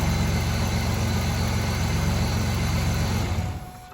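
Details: 2000 Chevrolet Camaro started after a new battery was fitted and the battery hold-down repaired: an even, steady idle with a smooth low rumble and no misses or knocks until shutdown; healthy engine.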